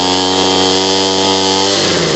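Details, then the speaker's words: Homelite 26B blower, two-stroke, just fitted with a new carburetor and fuel lines, on full choke and full throttle. High buzzing note holds, then sags and drops in pitch: bogging from a mis-set carb. Fixed by turning the adjustment screw. "Now it doesn't sound like it's revving all the way, so we're going to adjust it."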